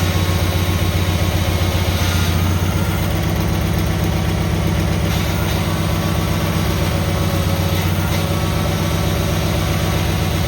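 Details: Cub Cadet tractor started after repair: steady, even thump at idle, no misses, knocks or surging; running healthy.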